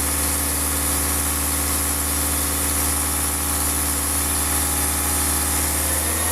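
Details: Diesel car engine after a rough-idle fix for RPM rising and falling at idle, with the fuel system bled of air: smooth, even idle with a steady low hum and no hunting or misses; holding a stable idle.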